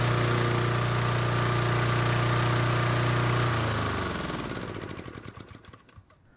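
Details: Toro commercial mower that would only start with gas poured into the carb, after fixing the choke flap and reopening the fuel shutoff valve: steady, even beat for a few seconds, then winds down smoothly; normal running.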